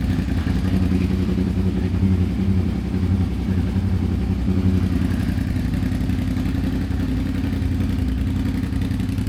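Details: Suzuki SV650 twin after electrical repair rejoining regulator wiring, running with charging at 14.5 volts: steady, even throb at constant speed, no misfires, rattles or surging; normal running.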